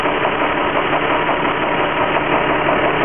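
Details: Infiniti G35x, knock/ping noticed in the engine bay right after an oil change: steady idle with a rapid, fairly even ticking knock about three a second; source not pinned down.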